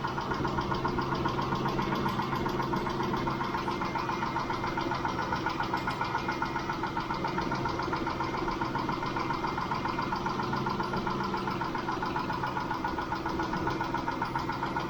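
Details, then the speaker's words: Mitsubishi Montero Sport 6G72 V6, about 5 minutes after start and nearly warm, after Liqui Moly lifter additive: steady light tapping two to three ticks a second, owner suspects a single failed hydraulic lifter. "С момента запуска двигателя. Прошло уже примерно 5 минут . Они всё ещё стучатся ."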